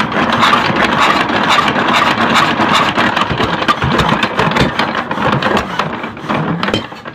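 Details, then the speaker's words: Diesel engine driving a local rice mill, hand-cranked after about two bottle caps of oil were put into the air intake to raise compression: uneven turnover with weak, ragged puffs that never catch; no start from lost compression, piston top found broken. "Baik sahabat, tadi kita coba hidupkan itu susah ya guys. Sudah kita coba pancing, karena tadi mulai kita hidupkan ya guys, kita mau cek apa penyakitnya."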